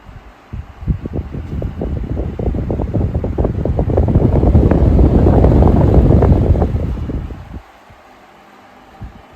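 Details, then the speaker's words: Late-1980s or early-1990s Home-Line 16" oscillating desk fan (made by SMC) on its initial test run: a loose, irregular rattle that grows with speed. The gearbox is suspected; the grills also rattle. "Sounds like that weird rattling might be the gearbox."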